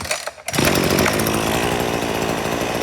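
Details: Hyper Tough two-stroke string trimmer, about six months old, after replacing its deteriorated fuel hose (which broke off in the tank, causing an air leak and fuel starvation): one pull, it catches and holds a steady, buzzy high-rev run without dying. It runs normally.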